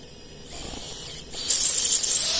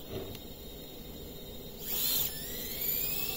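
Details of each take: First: 5-inch FPV quad on 4S, Betaflight 4.1.5, no props, armed and throttled up a little: a high, gritty buzz as the motors jitter and oscillate, grinding until very hot; filters suspected, cause unconfirmed. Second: FPV quad running on 3S with the default tune and PIDs: quiet, clean motor whine climbing smoothly in pitch with no warble or jitter; motors spinning up evenly, running normally.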